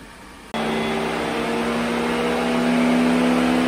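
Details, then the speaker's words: 2007 Mercedes-Benz 350: electric cooling fan kicks in with a loud, steady airplane-like rushing roar at full speed, coming on and off for no reason, sometimes not shutting off; faulty engine control module or CAN bus communication suspected. "you can hear the cooling fan coming on away might be able to hear it just comes on and off for no reason just whiz it real loud and shuts off sometimes doesn't shut off at all"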